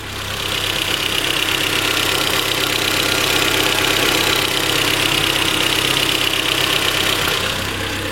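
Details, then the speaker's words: Renault Twingo after idle actuator work, warm engine after a minute running: low, smooth, even idle with almost no vibration and no misfires as the ECU relearns; idle very low and stable. "il est tout à fait correct ça vibre quasiment pas"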